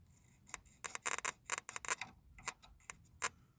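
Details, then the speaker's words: Mopar with an intermittent no-spark, no-start fault, distributor plug lead grounded with gapped spark plug, ECU previously grounded: sharp dry snapping ticks in irregular bursts, a strong spark jumping the gap; normal ignition spark. "I mean I can hear it I don't know if you can see it in the camera or not but it's there"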